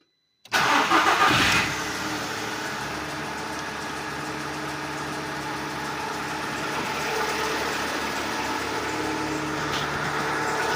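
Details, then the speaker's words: Seat Ibiza 1.4 petrol just after a new spark plugs and the failing ignition coil were fitted: it cranks and catches at once, then settles into a smooth, round idle with a light auxiliary belt whir. No more popping or misfire; only a stored engine fault remains. "The auxiliary belt sounds. Let's see if the motor here. For now it seems round and here. We no longer hear any strange explosions."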